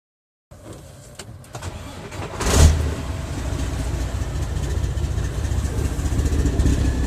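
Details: Diesel truck with new injectors and unit pumps, EGR and DPF deleted, no codes: starts then settles into an uneven, stumbling low rumble; runs rich and misses at partial throttle, fine at wide-open throttle; cause unconfirmed.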